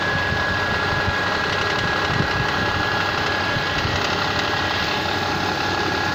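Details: Mitsubishi Pajero 4 with 6G75 V6, cold start: steady idle carries a faint, uneven ticking knock about four a second; source unclear.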